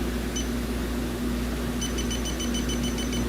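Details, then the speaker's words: 2013 Hyundai Elantra A/C discharged from a known leak: electronic leak detector at the high-side Schrader valve on low sensitivity gives rapid high beeps; alert possibly caused by oil, leak unconfirmed. "And it still alerts on the inside of it."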